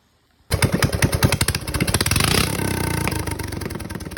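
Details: Rebuilt Honda GX270 single-cylinder, converted from gear reduction to stock crank with new coil, crank and side cover, on a Realtree RT200: catches at once, quick popping beat about three pops a second, pulling strongly; running fine after rebuild.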